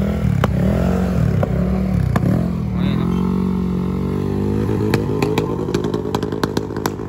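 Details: Automatic 155 scooter with aRacer ECU tuned for backfire, revving: loud irregular sharp pops and cracks with flames from the exhaust; deliberate tuned backfire.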